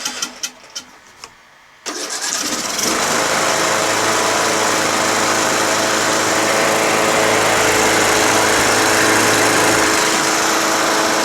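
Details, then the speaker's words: John Deere L100 lawn tractor small engine after carburetor cleaning, fuel mixture screw blown out with carb cleaner; catches after a few clicks into a steady low-throttle idle with no more surging, and shuts off correctly with the magneto wire connected. "low throttle idle doesn't surge anymore runs great and i connected the magneto wire and it shuts off awesome awesome"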